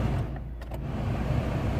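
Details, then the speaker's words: Peugeot 107 cabin blower after repair; gloves had been sucked in through a deteriorated cabin filter and were jamming the fan. A low, smooth, steady whir with no rattle or scrape; normal blower operation. "working perfect surely you can hear it yep that's it all done guys"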